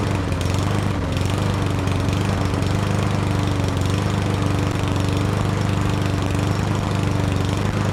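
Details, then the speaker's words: Yardworks self-propelled mower, 173cc engine, after brake handle pulled back further with vise grips to unground the ignition coil; steady even single-cylinder buzz, no misfires; normal running after won't-start fix. "So there you have it. It wasn't getting spark because this handle wasn't getting pulled back far enough, and it disengages."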